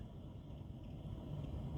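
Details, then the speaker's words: Blower motor run through speeds by Kingbolen K7 scan tool bidirectional actuation test: steady airy fan rush with low hum building as speed steps up to four and five; smooth, healthy blower. "So the speed as you can see four and five as you can see over here you see that it's turn on by itself and let if I keep going up and you can see the the fan keep going up you see that if I turn on more"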